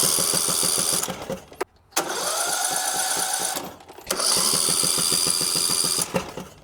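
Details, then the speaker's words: Riding lawn mower with a Briggs & Stratton engine, spark plug removed (no compression), cranked on a known-good battery after the starter wiring was grounded: quick even chuffing in two short brisk bursts with pauses; strong healthy cranking, a huge improvement over the earlier slow crank. "So now, all I'm doing is just ground up the spark. See a huge difference."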